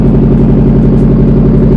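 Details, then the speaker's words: Nissan Pulsar GTiR (SR20DET) idling after the fuel filter change, before the ignition timing was checked: steady, even idle with a smooth low drone and no lumpiness or stumbles. It sounds better than before and healthy. "It does sound better actually. It does sound better."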